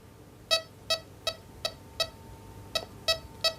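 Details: XP metal detector at the 12 o'clock sensitivity position over a Victorian coin: crisp, evenly spaced high-pitched beeps, nearly three a second, over a quiet background; clean, solid non-ferrous target response.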